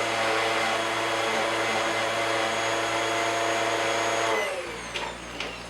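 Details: Bissell upright pet vacuum after full cleaning and rinsed foam filter, reassembled; steady high whine with even airflow rush, no rattles or surging, then spins down; running normally.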